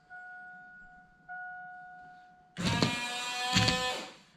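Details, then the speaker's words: 24-year-old GMC Sierra, washer pump just replaced and fluid added: after two chime tones, a loud buzzing whine with spray hiss runs about two seconds. The pump works and sprays but is unusually, weirdly loud. "Going to spray all over. And it's really loud. Did you hear that? It's like SUPER LOUD."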